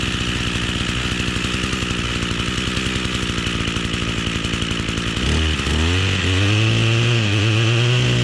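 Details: Echo two-stroke string trimmer that would not stay running, after rerouting the fuel supply and return lines, cold start on choke; settles into a steady, even buzz, then revs up cleanly near five seconds; runs smooth, fuel delivery healthy.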